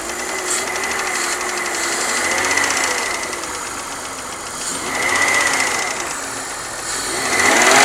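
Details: BMW 323i running with a light, uneven metallic pinging from the top end, no steady rhythm; it got louder after a full head rebuild and machining (valve job). Top-end ticking, cause unclear.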